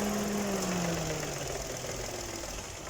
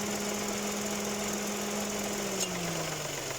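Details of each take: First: 2018 Dodge Attitude at idle, after lubricating the rusty AC compressor clutch that squealed on engagement: the compressor kicks in with the pitch easing down smoothly and no squeal; the clutch now engages cleanly. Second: Dodge Attitude 2018 idling: steady high squeal, like a loose belt, appears when the AC engages, from the AC compressor clutch.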